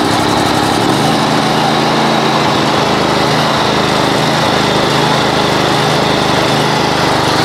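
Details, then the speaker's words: Great Dane Super Surfer mower during restoration: steady engine run with a thin, constant high-pitched whir; worn bearings in the flat idler pulleys under the pumps, both to be replaced. "you hear that yes so that sound that sounds like uh bad bearing that is that's the flat idlers under underneath these uh pumps the um the bearings in those idlers have gone so I have to replace both of those"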